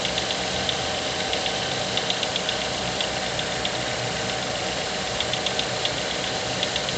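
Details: Mazda 6 GH 2.0 engine, cold idle at 1000-800 rpm after long standing: light, uneven ticking knock about four per second, disappearing once coolant temperature begins rising; cause unclear.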